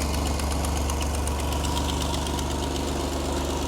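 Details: Vintage flat fender Jeep with Sniper 2 EFI after a new vented, baffled tank with in-tank fuel pump, fitted to fix fuel delivery and aeration problems: steady, even idle rumble with no misfire, fuel pressure a bit over 60, no leaks; normal idle.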